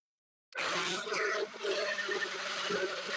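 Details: Makita multi-tool with suspected burnt-out motor that had been smoking; harsh buzzing whir with a rough uneven edge and rattle as it runs, before motor replacement. Burnt-out motor.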